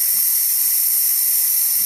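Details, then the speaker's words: DeWalt D55146 air compressor after shutoff: steady high hiss as tank air bleeds back past the faulty check valve, pressure dropping; check valve leaking, to be replaced. "down and it's going to kick on again about 160 or so and that's again because that check valve is letting the air by"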